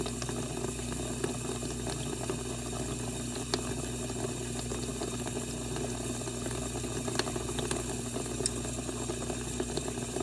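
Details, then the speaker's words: Dishwasher test run after water inlet valve repair/replacement: soft steady rush of water into the plastic tub over a low pump hum, no drips; fill normal. "you can hear water coming into the bottom of the unit because it's plastic"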